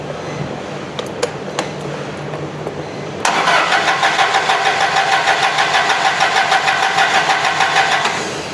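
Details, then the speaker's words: Toyota LPG forklift: starter cranks about three turns per second for five seconds, engine never catches; gas reaches the evaporator but not past the solenoid valve, a broken wire in its harness cutting fuel. "Como podemos observar, compañeros, pues no enciende el equipo, no tiene gas, le falta combustible."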